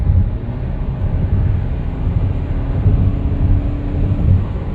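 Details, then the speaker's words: 2014 Honda CR-V 2.4L after timing chain replacement and valve readjustment, on a test drive: steady low hum with no knocks, ticks or misses over road rumble; engine now runs quiet and normal. "but um we got it all back together it's really quiet"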